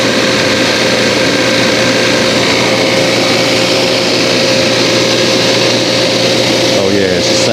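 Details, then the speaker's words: Brand-new Appion G5 Twin refrigerant recovery machine running through its initial run period, with a low-voltage notice on start. A steady, even compressor drone with a constant high tone and no knocks: it runs smoothly and sounds better than the old machine. "good it sound a lot better than my old one it's about time for an upgrade"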